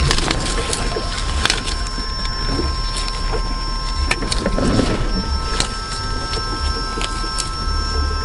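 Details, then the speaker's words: Volvo electric power steering pump, switched on after replacing a leaking hose to the speed sensor. Thin constant whine from the pump over background hiss, no leaks found. Normal pump whine. "well no leaks so you made me luck no leaks at all that's good that noise the winding sound is the pump"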